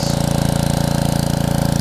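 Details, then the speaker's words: Karcher pressure washer, 6.5hp Briggs & Stratton engine with new carburetor, after long non-use, trigger pulled under load; fast even beat, tone changes, no surging, steady healthy normal running under load despite surging at idle. "But I don't know if y'all can hear the tune change whenever I hit it. So I'm about to hit it right now. Under load, no surging, no nothing."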